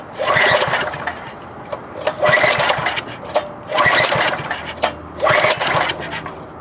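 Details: Five-horsepower MTD wood chipper, timing just reset: pull-start bursts about every one and a half seconds, engine spins but never catches; not drawing fuel, suspected tilted near-empty tank or bad carburetor diaphragm.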